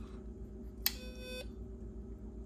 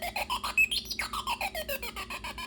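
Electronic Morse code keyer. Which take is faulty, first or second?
second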